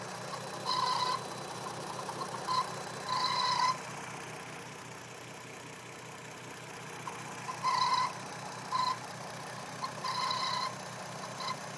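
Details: 2008 VW R32 petrol engine idling steadily while an irregular high hooting tone cuts in and out in short bursts; intermittent strange noise at idle, cause unknown.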